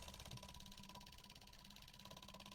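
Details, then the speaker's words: 1977 AMC Matador coupe, dirty brown gas being drained: fast steady ticking over a faint whir as the electric fuel pump pumps fuel out; pump working normally, fuel contaminated. "I mean, on the bright side, it's pumping. Probably the lower you go, the better it would pump."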